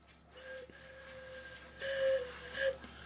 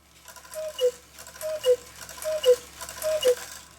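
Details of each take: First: Swiss-style German clock whistle box before repair: thin, faint, breathy whistle that barely carries. It seems blocked at the reed; debris on the reed is found. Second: Swiss-style German cuckoo clock, music box not hooked up, bellows opening about halfway: four clear two-note cuckoo calls about a second apart, even in loudness from both bellows and whistle boxes. Normal call.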